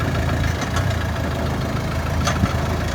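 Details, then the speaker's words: Renault with low, steady engine rumble and faint ringing metallic taps from the exhaust joint, heard at idle, pulling away, slowing and braking: worn exhaust joint sealing ring. "це звуки із вихлопної системи дзвінкі металеві як правило вони відбуваються при початку руху автомобіля при зменшенні швидкості під час тормозіння а ще на холостих"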